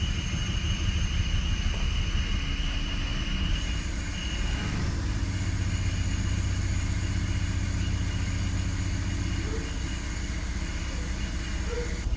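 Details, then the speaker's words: BMW E46 at idle after a CCV vacuum leak fix: a loping, uneven idle with a stumble every few beats. Misfire codes P0301 and P0306 remain on cylinders 1 and 6; two bad ignition coils were later found. "bad news is that the rough Idol is still there we had we eliminated five misfire codes though so we're down to 301 and 306 so the first and sixth cylinder are misfiring so I'm going to Swip some coils around and see if that doesn't help fix t"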